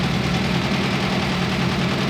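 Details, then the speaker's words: 1991 Nissan 240SX KA engine, project car being revived: a lumpy, uneven idle with a missing beat in the firing rhythm; zero compression on cylinder 2 despite confirmed fuel. "Your motor has 0 compression on cylinder 2 at least."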